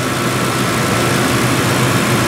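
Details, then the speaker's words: Ford 2-valve 4.6 V8 after new Dorman intake manifold replacement, cold day, warming up at idle, thermostat not yet open: steady even idle hum, no misses, knocks or ticks; running smooth and healthy. "God, this is running so good."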